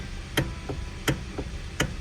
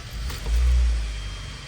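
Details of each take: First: 2013 Hyundai Sonata, sharp clicks as the steering wheel is rocked back and forth, believed to come from the electric power steering motor. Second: 2013 Hyundai Sonata after repair of wheel-wiggle clicking believed from power steering motor: low smooth engine rumble swells as wheel turns, no clicking or knocking; normal steering, noise fixed.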